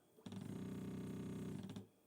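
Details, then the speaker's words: Voron 0.2r1-S1 (LDO kit) 3D printer on Klipper firmware, X homing command: a buzzing, fast-stuttering stepper noise for about 1.5 seconds as the head returns toward the middle; cause unknown, owner wonders if the Z axis is pushing against its stop. "printer should move to the right which is here it makes this strange when it goes back to the middle it makes a little strange of a noise"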